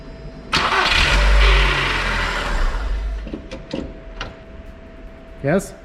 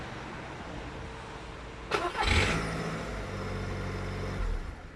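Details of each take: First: Skoda Fabia Mk1 (VW-group engine): short crank and catch, then a brief whirring rattle as the starter spins down after disengaging from the flywheel; noisy starter. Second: Skoda Fabia 1, cold start the morning after starter brush replacement and greasing, phone outside the car: short clean crank, then quiet steady idle; the noise after starter disengagement is gone. Normal cold start.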